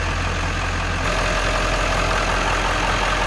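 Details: 1997 Ford F350 XLT crew cab 4x4 with 7.3L Power Stroke diesel, one family owner since new: steady, deep, even diesel idle clatter with no knocks or misses, exhaust not smoking; healthy, smooth-running engine.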